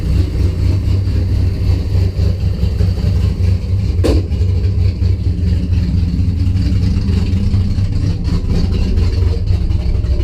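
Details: Engine cranks healthy but fails to start, then runs with a loud, lumpy, stumbling rough idle with no steady rhythm; after a spark fix to the coil wiring, fuel pressure 50 after prime (over 60 during prime), running really rich and sneezing fuel.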